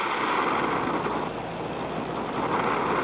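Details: Oxy-acetylene torch adjusted for brazing sheet metal: steady, even hiss with a soft roar and no popping or sputter; a clean neutral flame.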